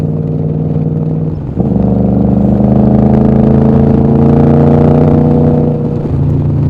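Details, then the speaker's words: Motorcycle on a test ride with aftermarket pipes, quiet at 50 mph at low rpm: a deep exhaust drone climbs and gets noticeably louder under hard throttle. Loud aftermarket exhaust under acceleration, engine pulling cleanly. "These pipes are a little noisy, but you know, you downshift or you upshift, keep the RPMs down. That's 50 miles an hour right there, and they're not loud at all. You tromp on it, and then you know you've got a set of pipes on there."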